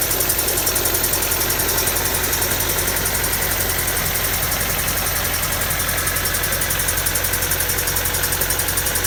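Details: Honda D16Y7/Y8 engine at idle with a regular knock about three or four times a second; the owner suspects a spun bearing from too much nitrous. Unconfirmed.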